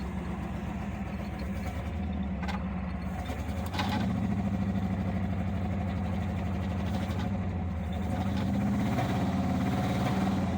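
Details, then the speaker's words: Long-neglected 1975 Ford Granada V8 with the vacuum tree unplugged and the idle turned up: a lumpy, uneven idle wavering about three beats a second. It shakes badly, picking up and dropping cylinders. "Shakes pretty bad. Oh, there we go. Picked up a cylinder. Oh, and it's gone. Maybe we'll get all 8 someday."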